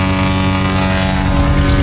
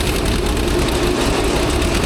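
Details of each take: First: Asplundh JEX Chuck n Duck wood chipper running with a steady engine drone and light rattle; the drum bearings are silent with no growl or squeal, only blade air noise. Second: Old Asplundh JEX Chuck n Duck wood chipper, long abandoned, with water found in the bearing grease: a loud, dense rattling roar that doesn't let up. Owner suspects bearing trouble, not confirmed.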